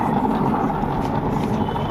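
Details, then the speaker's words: Intex washing machine that won't run even with one or two clothes, drum loaded by hand: loud continuous gritty grinding with a faint whine, like gears rubbing; gearbox gears are worn and the gearbox is faulty. "आवाज सुनिए इसकी sound इसका देखिए काफी तेज है यह आवाज सुन सकते हैं आप जिसे कोई गरारी घिस रही हो इसमें गियर बक्स गरारी वो मिस हो गई है तो इस इस सिचुएशन में आपका गियर बक्सा खराब है"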